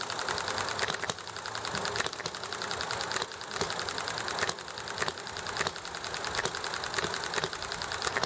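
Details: Enjomor small hit-and-miss engine: sharp regular firing pops roughly every second with coasting gaps, even and unhurried over steady clatter, chatting and highway traffic; normal hit-and-miss running.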